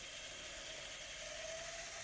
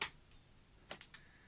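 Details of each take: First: Tascam DA-45HR 24-bit professional DAT recorder under repair, running on isolated mains: a quiet, even high whir with a faint steady tone as the reels rewind smoothly. Playback drops out after seconds, so the tape is suspected of shifting in the tape path. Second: Tascam DA-45HR 24-bit DAT recorder under repair, on isolated mains, after the cassette micro switch was repositioned. A sharp click, then three light clicks; the cassette didn't load and the switch wasn't actuated, likely because the board, without its plastic packing, sticks out and collides.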